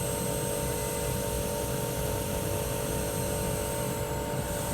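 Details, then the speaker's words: Mitsubishi inverter outdoor unit first run after rusted compressor replacement, panels off, unsure if heating or cooling: steady low hum with a few constant tones, no rattles or surging; normal running. "So far so good. Just turned it on. Should have gotten put the cover on. I just wanted to test it before I put everything back on."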